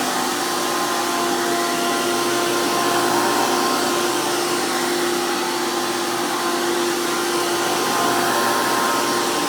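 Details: 2002 Hoover PowerMax II U5246-940 Elite upright vacuum with 12 amp motor and 20-blade fan impeller, after motor work: loud, steady high-pitched roar with constant fan whine, no surging, scraping or rattles; strong, normal healthy motor.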